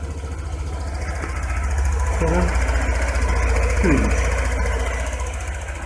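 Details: Honda PCX scooter that had been stalling at idle, flashing its fault lamp 2 long 9 short and disabling start-stop; owner suspects a clogged idle air sensor. Here it runs fine: steady, even low putter, no stumbling or dying; normal idle.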